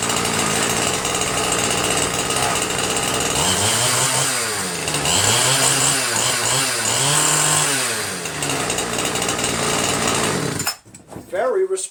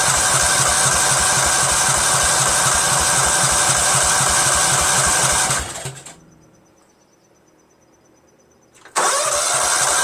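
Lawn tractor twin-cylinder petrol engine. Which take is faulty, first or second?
second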